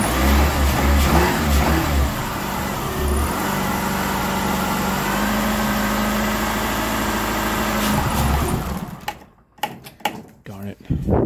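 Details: Chrysler PT Cruiser towed in with crank no start, starting fluid sprayed into intake: catches briefly, runs rough several seconds, then dies; crank sensor and ignition work, fuel supply missing, fuel pump next to check.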